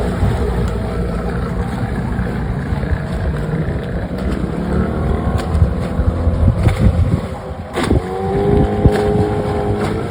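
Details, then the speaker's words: 1996 Johnson 15 hp outboard (J15RE) on a lake test after replacing a stuck thermostat and gasket that caused overheating shutdowns: steady drone under way, even firing, no misses or surging; runs normally. "I had to order the part change the part and the gasket and she runs great"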